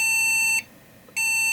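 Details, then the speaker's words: Homebuilt desktop PC unused for a couple of months, at power-on: steady high-pitched beep with short gaps, repeating while the fans spin, board halting at POST; continuous POST beeping, a bad RAM stick suspected, not confirmed. "nope it's just beeping like a mofo shut up and pull the plug and drain the remaining energy on the capacitors"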